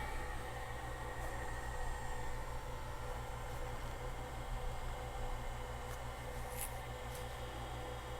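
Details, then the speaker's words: Friend's Macintosh Classic II after CRT replacement, powering on: steady low hum with faint even fan whir, no horrible sounds; sounds like a computer, hard drive likely clicking, CRT trying to energize, but no image yet. "Well, it sounds more like a computer. No image on the display yet. That could be a lot of things."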